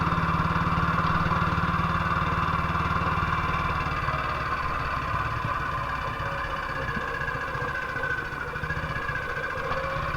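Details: 1958 BSA C12 single-cylinder on a road test after a misfire fix; the misfire had earlier caused a breakdown, and the battery tested fine at 6.3 V. Steady thumping at about four beats a second with no skips or popping. Sounds like it used to: normal running.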